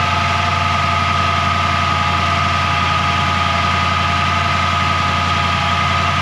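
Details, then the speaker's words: 1940 Mercury hot rod sedan, idling while the timing is set with the vacuum advance unplugged. A steady high-pitched whine persists after a new one-wire alternator was fitted; the owner suspects the throwout bearing or the transmission. "that wine i don't know what that wine is must be the throat bearing is whining because i thought it was the alternator"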